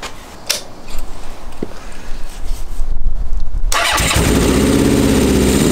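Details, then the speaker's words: Honda CB750 SOHC cafe racer after first start: uneven, lumpy loping idle with cylinders 1 and 2 not firing (exhausts colder than 3 and 4); ignition swapped to rule out HT, owner suspects carb fuel feed; misfire on two cylinders. "it's not running on those two cylinders which should be nothing to do with the HT but I just want to rule it out first"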